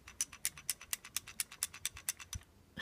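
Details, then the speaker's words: Springfield XDS pistol, empty and fired (uncocked): about eleven light quick metallic ticks as it is shaken, from the loose striker; perfectly normal rattle, disappears when slide is cocked. "that's perfectly normal what's going on in there"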